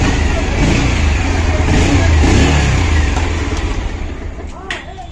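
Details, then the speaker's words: Bajaj Pulsar BS6 single after engine repair (engine lowered about an inch to work on it; previously a "khatam khatam" knock): revs up smoothly, holds, settles back with no rattle or knock; repair successful, engine sounds healthy and even. "देखिए sound सु सु सु कर रहा है सु sound बिल्कुल success है दोस्तों"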